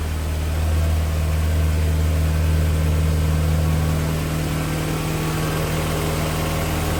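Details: 25-year-old Fiat Barchetta four-cylinder just started after a service with new Denso plugs and air filter: steady, even idle with a smooth low hum, no knocks or stumbles; healthy.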